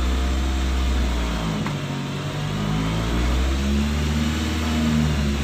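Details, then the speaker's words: Nissan X-Trail T30: idle drifts up and down between about 1000-2000 rpm with no throttle, the engine note swelling and sagging; hunting idle, manual idle relearn not yet successful. "ini dia di RPM 1000-2000 dia naik turun ya teman-teman ya"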